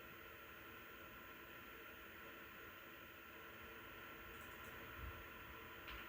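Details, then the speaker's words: PowerColor Reaper RX 9070 XT graphics card fans ramping to about 50–60%, roughly 1851 RPM; phone about 5 feet away; steady fan whir with faint constant whine above it, not coil whine but the fans themselves; fan bearing whine. "You can definitely hear the whine in the background there."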